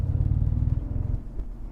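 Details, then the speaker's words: BMW accelerating in second gear: deep throbbing rumble easing off after a second, with vibration behind the console at low RPM, from a worn drive shaft center support bearing, most likely its rubber bushing. "you can hear it because the drive shaft is getting out of balance. The support bearing that has the rubber bushing, either the bearing or the bushing is done, most likely the bushing."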